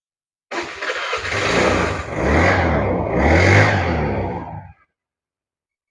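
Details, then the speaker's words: 2012 Honda Vario Techno scooter with a standard engine, used bike for sale: catches quickly, blips up a couple of times and settles to an even, smooth beat with no knocks or rattles; a healthy start, and the seller calls the engine very smooth. "Nah, bisa didengarkan ya di video itu mesinnya. Masih sangat halus, mesin pokoknya boleh dibilang prima."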